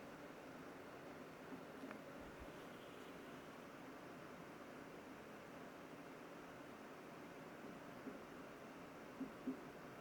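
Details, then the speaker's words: HP Omen Max 16 (2025) gaming laptop with RTX 5080 and vapor chamber cooling, in eco mode; only a faint, soft, steady airy hiss with no whine or rattle from the cooling fans: normal fan noise. "So as you can see here in eco mode, I'll just shut up for a moment so you guys can hear the fan noise here before we'll take some temperature readings and also fan readings before we jump on into the next mode."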